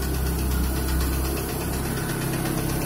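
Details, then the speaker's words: Lada Priora petrol engine idling with light, fairly quick ticking over a steady low hum; owner suspects worn camshafts, likely exhaust side; new bearings didn't cure it, ticking louder with MAF sensor refitted, possibly air leak. "двигатель работает ровно, все. И, мне кажется, звук исходит со стороны распредвала выпускного."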